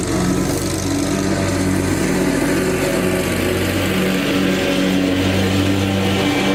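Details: Lawn tractor cutting grass after installing electric fuel pump to cure fuel problem (other pumps failed); single-cylinder engine holds steady buzzing run, pitch dipping and recovering under mowing load without stalling, normal running under load.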